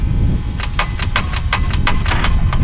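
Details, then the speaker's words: Thai longtail boat diesel engine after months in storage, battery 13.42 V: starter grinds with harsh metallic rasping bursts but never cranks the engine; engine turns smoothly by hand, starter blamed and to be replaced. "But uh the the starter sounds like it's grinding up a storm."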